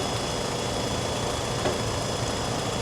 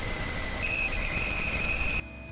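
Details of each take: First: 1997 Toyota 4Runner idling after epoxying the failed aftermarket gasket: steady, even idle with a smooth low hum and no whistle or hiss; vacuum leak sealed. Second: 1997 Toyota 4Runner at idle: steady high whistle that doesn't waver; the smoke machine found no leak.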